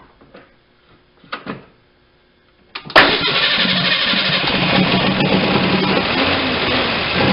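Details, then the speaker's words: 1989 Ford Ranger 2.9L, sat 8–9 years, first run after revival prep: quiet crank then even steady run building oil pressure, no knocking or clatter; sounds decent for a typically clattery 2.9. "okay we built oil pressure the motor actually sounded pretty reasonable for a 2.9 these are known for being a little bit clattery they make some noise and this one sounded pretty decent"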